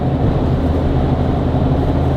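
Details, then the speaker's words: Diesel pickup with G56 manual transmission under way after switching to Hot Shot's Secret Diamond G56 fluid; steady low drone, no gear whine or rollover rattle, noticeably quieter and smoother than before. "you don't hear the gears and you don't feel the gears cuz before I felt like not only could you hear the gear roll over you can feel it so it is definitely smoother"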